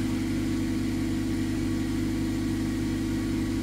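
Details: 2011 Mazda 3 2.0 L with hard-shifting automatic, running after DIY repair of the transmission control module circuit board: even steady idle with smooth low hum, no knocks or slips; engine and transmission sound healthy.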